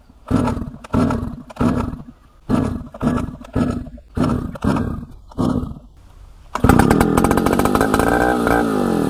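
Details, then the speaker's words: 1960s Solo 626 70cc chainsaw, long unused, good compression: several hard starter pulls, then fires and keeps running with a crisp, steady two-stroke buzz; runs very well. "Right, as you would have just seen, this thing runs, and it runs very well at that."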